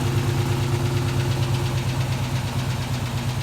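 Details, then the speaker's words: LS-swapped G-body Cutlass V8 after its fuel system repair: steady idle with a light, fast tapping at about three taps a second riding over it; minor lifter chatter, not too bad. "Got a little tap to it, but you know, overall, man, we're doing good. The lifter chatter isn't too bad."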